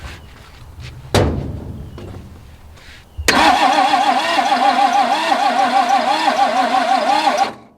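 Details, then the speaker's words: 1961 Ford Falcon straight six, abandoned 15 years: door shuts, then starter cranks steadily about four seconds without catching, cranking sounds a bit odd; plug test confirms no spark, ignition points badly worn, to be cleaned. "that confirms there's no spark which means those points are they're bad like way bad"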